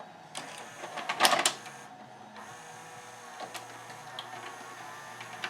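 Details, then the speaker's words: 1992 Admiral (Sharp-made) mono VCR, Montgomery Ward JSJ20416, after de-glazing its belts and pulleys with acetone and hot-gluing the capstan motor pulley: soft motor whirring, a clack as the tape seats, then steady play; tape loading is fixed. "the cylinder starts and it will hit play the reels are moving is taking up the tape so I would say we have a successful fix on this unit"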